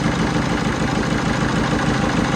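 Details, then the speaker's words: Peugeot 307 diesel with hard starting, idling with return-leak test kit on all 4 injectors: loud, uneven lumpy idle with stumbling pulses and shaking; return test shows faulty leaking injectors, mechanic says likely two. "Vous voyez bien, le moteur, il tremble, il n'est pas stable. Donc ça veut dire qu'il tourne par an. Il y en a un cylindre injecteur, donc voilà, dans les cas, donc 2 injecteurs qui est pas bon."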